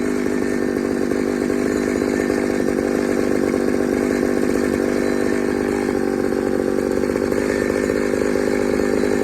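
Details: Pioneer 3270 chainsaw on a super-duty safety chain, untuned, with a carburetor likely from another ~60cc saw: high, thin, steady scream while cutting with no four-stroke burble; lean running, fuel starvation, carb to be swapped.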